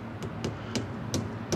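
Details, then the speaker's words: Quad engine with scored cylinder partly dismantled, piston rocked by hand on the crank: loose metallic clunks showing excessive piston play, knocking loudly before the piston is pulled. "Dobra to co tłok w górę gdyby trzeba go wyciągnąć było nie korba jak tam ło jaki luz kurna ale puka"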